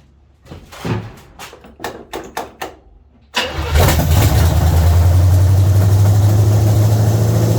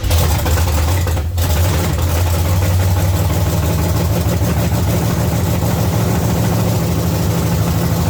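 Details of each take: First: 1970 Chevy C10 305 small-block V8 after a new intake manifold and carburetor: a few clicks, then it catches and settles into a steady, even, deep idle with no misses, running well. Timing still to be set, and the distributor clamp was installed upside down. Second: 1970 Chevy C10 small block V8 idling: deep, lumpy, low beat wavering as if about to stall; idle speed too low, owner plans less ignition timing and more idle; transmission may have been in gear.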